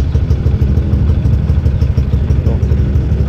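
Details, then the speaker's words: Motorcycle idling after a high-lift camshaft was replaced with a standard one. A steady, even low idle with only a soft light clatter from the head and no loud valve or cam noise, so the valve train sounds healthy and normal. "suara klepnya juga jadi halus mesinnya gak ada suara apa gak ada suara nokenas yang Lif tinggi itu kan bunyi"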